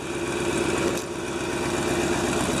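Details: 1997 GMC Suburban at about minus 6 degrees, after fuel filter replacement: steady, even idle with a smooth regular exhaust beat, no misses or stumbles; normal idle.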